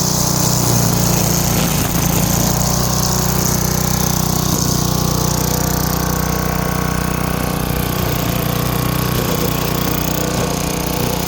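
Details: Craftsman wheeled two-stroke weed trimmer after new spark plug, carb cleaning and fresh gas, choke off, cutting weeds: steady high-speed buzz with even, crisp note and no sputtering; running healthy.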